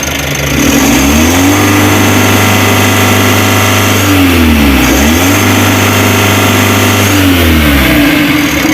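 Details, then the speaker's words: Mitsubishi L300 Euro 4 diesel, about 4,000 km, weak on hills; free revving with clutch switch not pressed due to bad pedal adjustment, each blip climbs quickly then hangs flat, capped near 3,000 rpm; rev limit from faulty clutch switch. "sangat loyo Oke suara Mesinnya tidak mau Meraung cuman seperti itu aja"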